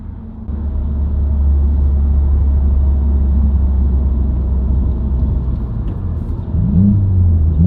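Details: Subaru WRX, interior recording while driving: steady buzzing hum/whine that rises in pitch with road speed, unchanged by gear, revs, out of gear or clutch in; dealership diagnosed broken centre viscous coupler.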